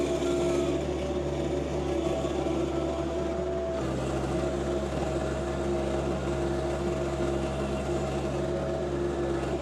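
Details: Tarter RT205 rototiller on a John Deere 2025R tractor after top gearbox repair of seized gears: steady, even drone with a constant hum, no knocking or grinding, tilling smoothly under load.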